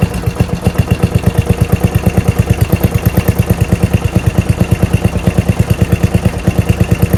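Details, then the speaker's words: Murray mower 12.5 hp Briggs flathead single with new Nikki carb replacing 25-year-old original (fuel solenoid removed), new fuel line, idle set all the way down: steady even chug about three pulses a second, no misses or surging; normal smooth idle. "All the way down. That's good idle right there."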